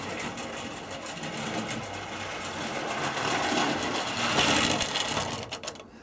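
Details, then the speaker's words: Old Tri-ang TransContinental Pacific model locomotive on a valley-shaped track, old-style controller: rapid uneven whirring clatter, about three beats per second, jerky and jolting, not very smooth but powerful; cause not confirmed. "this thing you can probably just tell what it is from the Shadows not very smooth but certainly powerful"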